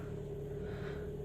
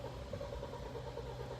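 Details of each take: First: Kia Sportage G4KD 2.0, 13 years old, 160,000 km, automatic, all-wheel drive, after engine repair for cylinder scoring and piston knock, warm at 90°C: quiet, even hum with steady low rumble, no knocks or ticks; normal idle. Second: Kia Sportage G4KD 2.0, 160,000 km, automatic, AWD, first start after engine rebuild for cylinder scoring: long even cranking with no cylinders catching, because fuel had drained from the rail; it later starts.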